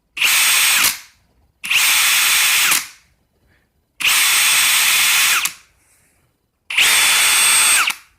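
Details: New Ridgid Octane hammer drill in speed mode one, driver mode; four short bursts of harsh gritty uneven whir instead of clean motor hum; replacement unit shows same problem.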